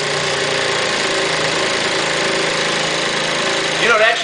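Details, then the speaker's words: Aprilia SR50 DiTech two-stroke on a lift table during a fuel-line pressure test for sudden loss of power at wide open throttle: high buzzing rev held steady with no stumbles or cutting out; pulls cleanly, normal full-throttle revving. "sound pretty healthy those times I'm not really sure it was falling off and dropping down"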